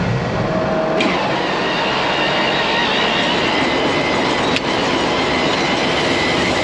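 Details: Grain bin aeration floor fan: loud, even, steady roar with no knocks or wavering in pitch; fan running normally at full speed.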